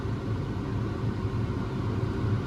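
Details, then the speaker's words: Grain cart auger running off the PTO: a heavy low rumble with a rough gritty churn and violent vibration as the auger hits its flighting; left as is until the parts wear apart, likely speeding wear. "The auger is hitting the flighting while running the PTO. So, that's pretty daggum aggravating. So I'm just gonna have to live with the violent vibrations and loud grinding noises until something wears something else down to the point that it's not touching anymore."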